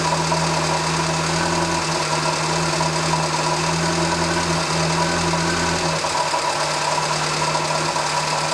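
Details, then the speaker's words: Morris Minor carburettor tuning, aiming for about 1000 rpm idle: steady idle with a slightly lumpy beat and a low drone; the plunger test shows it running too lean, and the worn carburettor needs a rebuild. "If you lift the plunger up and it stalls, it's too lean. And mine is running too lean. That's very annoying."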